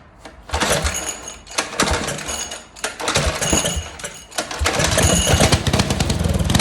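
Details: Restored Tecumseh 12hp single-cylinder petrol engine, first run, primed at half choke with the air filter off and jetting still unfinished: catches and runs with an uneven, lumpy, slightly surging beat. Running, but the mixture still needs tuning.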